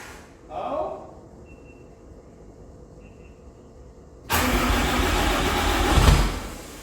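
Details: Swapped 600 hp 6.7 Cummins hotshot truck after oil pan reinstall: quiet, then a loud rough cranking churn for about two seconds that never catches into idle; cranks but won't start despite seeming to get fuel.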